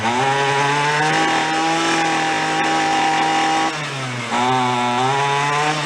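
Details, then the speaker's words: Free roadside weed wacker, half-full tank: high, thin buzzing scream with a brief speed sag before picking up; running lean, sucking air around the side of the carb (visible bubbling), loose screw or possible crack suspected. "rival i think it's a little on the lean side i think we're sucking air i'll show you we're sucking air around the side of the carb right there you can see it bubbling a little bit"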